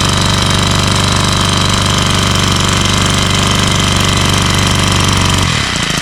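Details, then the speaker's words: Troy-Bilt four-stroke string trimmer that won't rev up, with a carburetor that has no adjustment screws: it buzzes at one flat, strained speed, never picks up, then stalls. Starving for fuel. Lean running, fuel starvation. "Okay. So, it's definitely starving for fuel. So, if there was an adjustment on this, I would certainly make the adjustment."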